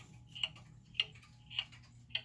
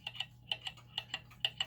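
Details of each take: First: German time/strike pendulum clock after leveling and crutch adjustment: crisp ticks a little under one per second, evenly spaced, over quiet room hum; now in beat. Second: German time/strike pendulum clock being set in beat by adjusting the crutch: tick-tock in uneven pairs, short gap then long, about two beats a second; still out of beat.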